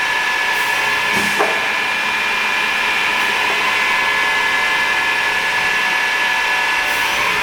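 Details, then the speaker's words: Pistorius MN-200 double miter saw, 12-inch blade, wired 230 V 3-phase, foot-pedal actuated with dual pneumatic hold downs; steady high motor hum with clean tones, brief clicks and hisses, no grinding; smooth running, no bearing issues or air leaks. "Smooth running machine, no bearing issues, no air leaks, dual pneumatic hold downs."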